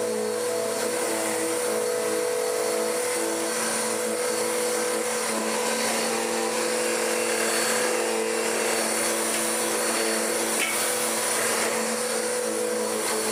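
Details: Dirt Devil DD6114 (Electrolux Contour clone) upright vacuum, first run before restoration, short-pile height: steady motor drone with strained, slightly wavering whir; wrong-size, too-thick drive belt on the brush roll pulley, hot-belt smell, poor suction.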